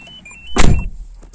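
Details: Peugeot 406 that won't start, turn signal stuck on: steady high chime carries on through the door-opening thump, the key-in-ignition warning, showing the immobilizer sees the key transponder; engine ECU later replaced, chime cause suspected.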